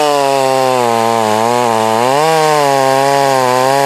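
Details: Heat-soaked Husqvarna 562 chainsaw during test cuts, compared with a salvaged Husqvarna 51 and a 254. A strong, clean high buzz dips briefly as the chain bites, then pulls back evenly: a healthy saw cutting hot.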